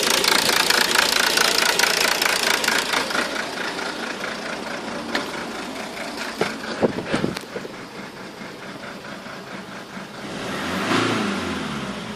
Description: My car has a intermittent idle problem and I can lot locate where the issue is.